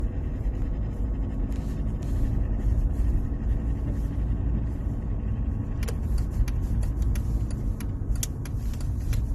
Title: Strange noise on gearbox on Mercedes Benz w203 . Help